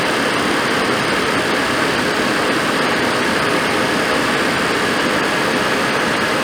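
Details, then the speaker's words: Suburban RV furnace after control board connection work, amid recurring blower wheel failures; steady even blower roar with burner lit, no scraping, rubbing or rattle; lit right up and runs healthy. "well all right there you go she lit right up sounds good smells good"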